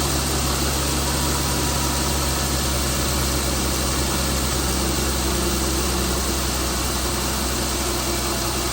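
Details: Chrysler Pentastar 3.6L V6 in a 2017 Dodge Ram 1500 regular cab (labelled 2016), after a start with massive cranking noise; steady idle buried in a constant hissing, rattly wash with no clear knock rhythm, abnormal idle noise, cause not pinned down.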